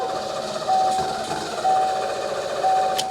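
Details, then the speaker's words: 1990 Ford Mustang GT Fox Body 5.0 V8, barn find unstarted for 30 years, old ignition switch refitted: steady cranking with pulsing tone, never catches; crank no start, cause unknown. "Absolutely nothing again. Switch seems to be okay, but it's just totally uh totally frustrating. I just do not know what's wrong with it. It's like it wants to go but just won't."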